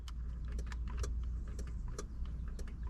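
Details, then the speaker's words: 981 Porsche Boxster, horn not working; relay under the dash clicks sharply with each horn button press over a low hum, but the two front horns stay silent; switch moves smoothly. Relay energizes, horns dead. "you hear click click? That's coming from under the dash, meaning your relay is actually getting energized after you press on the horn. So most likely the signal from here goes to the relay gets the signal, but the horn doesn't work."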